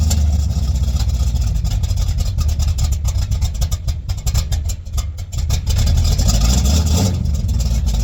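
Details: 1959 GMC truck with rebuilt Holley carburetor running from the freshly cleaned factory fuel tank: deep, slightly uneven rumble settles into a steady low idle with no knocks or misses; normal idle.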